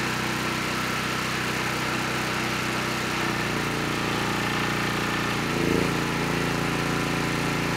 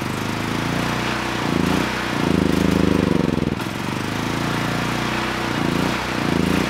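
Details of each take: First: Honeywell HW5500 5500-watt generator, 337cc engine, after new Hipa carburetor, replacement tank and old gaskets (insulator issue found), during load testing; even drone with brief load change midway, settling back and holding speed — normal running. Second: Honeywell HW5500 5500 W generator, 337cc engine, new Hipa carburetor fitted, running only on choke. The engine note swells and sags every second or two and stalls if the choke is even half off.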